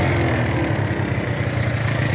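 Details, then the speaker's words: Marauder 250 cruiser that is hard to start on cold mornings: the idle stumbles with a lumpy beat, with black smoke, slow return to idle and hesitation; it is over-fuelling and the carb needs work. "It still sounds like [ __ ] But you kind of see the smoke coming out now. definitely over fueling."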